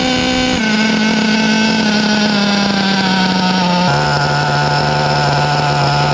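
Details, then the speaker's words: 2011 HPI Pulse 4.6 RallyCross nitro buggy with LRP 32 engine, high compression, test start: high buzzing idle stepping down in pitch, keeps running instead of dying; hard to shut off, engine needs carb tuning, possibly rich. "I think it's even tougher to turn off than that is to fire up motor needs a little bit of tuning"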